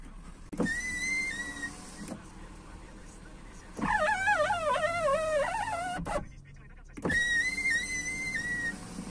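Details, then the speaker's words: 2001 Skoda Octavia door: power window motor hums with loud pitched squeals on each up and down stroke, a typical problem from worn-out lubrication in the regulator rollers or cables. "skoda octavia 2001 ство года с типичной проблемой скрип стеклоподъемника"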